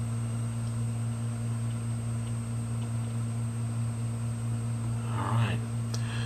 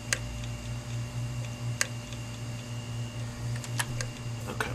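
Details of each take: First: 500GB hard drive after head replacement, powered on in a data-recovery imager: steady low hum with no clicks, scrapes or spin-down cycling; drive spins up normally and sounds healthy. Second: 500GB hard drive, freezer-treated for about 18 hours and powered up: a steady spin-up hum broken by sharp, irregular clicks. The heads are clicking and failing to read.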